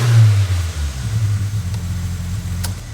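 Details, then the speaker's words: Nissan March Superturbo (twin-charged) on jack stands, just after the new exhaust midsection went in: deep, throaty, guttural rev falling smoothly back to idle, no rasp or leak, much better than before; normal exhaust note. "Sounds mad. It's deep. It's deep. It's guttural. Yep. It's throaty."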